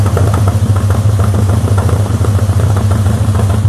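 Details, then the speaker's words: Classic car with SU carburettors at normal operating temperature idling, heard at the exhaust; low uneven note with irregular popping instead of smooth, before adjusting jets and tuning. "It's not too bad, but it should be a relatively smooth instead of that popping."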